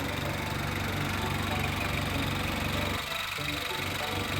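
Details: 2003 Ford Ranger 2.5 turbo diesel 12-valve, 4WD, original unmodified engine, needs glow plugs before starting and starts easily: even idle with a steady low chug, quiet, no miss, knock, shake or puffing; healthy normal idle.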